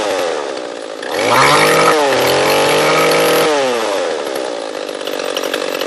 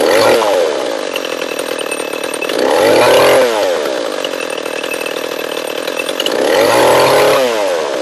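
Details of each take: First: Echo CS-341 chainsaw carburetor tuning: at full throttle the saw climbs to a thin scream, then drops slightly as the high-speed screw is set a little richer. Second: Echo CS-341 chainsaw, new carburetor fitted but still ran poorly, after carb high-speed tuning and bar and chain installation: revs cleanly up and down in repeated cuts, crisp throttle, steady high whine, slight bog; running good.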